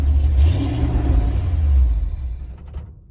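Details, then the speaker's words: Carbureted engine on the Frankenstein truck project, cold weather, after timing and carb work: deep rumble swells as throttle opens, then sags and fades out within about two seconds; it stalls on throttle and the owner is unsure why. "it just dies so there's that and it's it's not it's not terrible like see i did give it some gas i don't know something's off"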